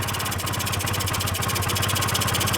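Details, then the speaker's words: 1996 Honda Elite 50cc scooter, sat a long time, first start: uneven buzzy two-stroke pulsing that stumbles then cuts out; owner says carb clogged, dies often, to be cleaned. "oh yeah she's definitely carbage carb is definitely clogged up you could tell it's just putting"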